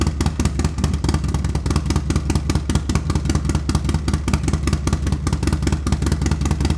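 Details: Harley-Davidson Milwaukee Eight with new S&S MK 136 crate engine and 550 cam, freshly installed, warming up: lumpy loud V-twin beat about 2.5 pulses/s, strong and steady; sounds healthy, probably needs fine tuning.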